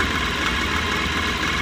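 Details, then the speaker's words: Mahindra Maximo after faulty cam sensor replaced with new one, curing starting trouble: steady even idle, smooth unchanging rumble, no knocks or misses; running normally. "ಈ ಗಾಡಿ cam sensor ತೊಂದರೆ ಇತ್ತು. ಅದರಲ್ಲಿ ಯಾರಾದ್ರು ಹೊಸ ತರಿಸಿ ಹಾಕಿದ್ರೆ ಗಾಡಿ ಸ್ಟಾರ್ಟ್ ಆಯಿತು."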